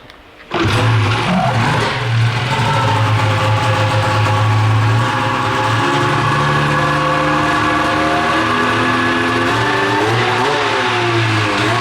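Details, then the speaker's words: 13-year-old two-stroke race snowmobile that rips cold but bogs once warm (owner suspects a sticking power valve), run after debris was found in the fuel line: slightly better once heated but still lazy and not snappy on throttle. "it's better it seems to be a little better once it heats up it's still not freaking snappy snappy cuz these things rip"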